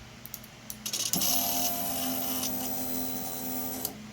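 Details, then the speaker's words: 2006-07 Suzuki GSX-R600/750 after fixing an aftermarket ignition switch with a 100 resistor (before, only a whine, no prime): clicks, then steady pump hum about three seconds, cutting off cleanly; fuel pump priming normally. "No prime, no fuel pump or none. But listen to the fuel pump when I put that 100 resist on"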